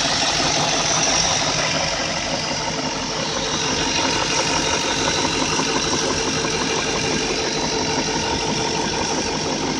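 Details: BMW E38 with M62 V8 at idle: light, fairly regular knock about three times per second over the engine note, attributed to the VANOS variable valve timing rattling.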